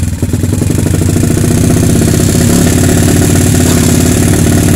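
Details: Kawasaki KLX 150 single with PE 28 carburettor after setting the air screw for highest rpm and then the idle screw by engine sound: brisk, even, steady, clean beat at about four pulses a second; carb correctly set.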